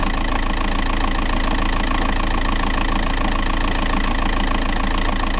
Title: bruit volant moteur tdi 105